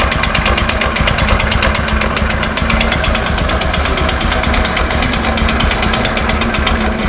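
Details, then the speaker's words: Honda Supra X 125 carburetor motorcycle, history unknown; harsh rapid metallic hammering over the engine, louder with throttle; suspected connecting rod knock plus piston slap, diagnosis provisional. "Suaranya sangat ekstrim sekali, apalagi ketika digas. Di sini suaranya amburadul Pak. Nah, menurut dugaan saya sementara ini ada dua ketukan."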